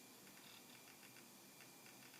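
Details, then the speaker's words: Amiga 1200 rev 1D.4 motherboard under repair: hard disk loading/copying with normal dry rattling head-arm seek ticks; video trace fluctuates in sync with the actuator arm, causing picture instability while the drive loads. "I mean, you can hear the hard disk loading, you can hear the rattle noise from the hard disk, and you can see the trace there on the scope moving back and forth"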